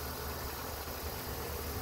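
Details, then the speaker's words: After replacing the faulty serpentine belt tensioner, the petrol engine idles with a steady low hum and no belt squeal or chirp. "all right there you have it no more loudest guy in town"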